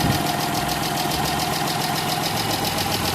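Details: Chrysler 300 3.5L after new coils and plugs: steady idle with uneven ticking about 3–4 per second over the hum; oil found on spark plugs, valve seals need replacing; smoke mostly gone.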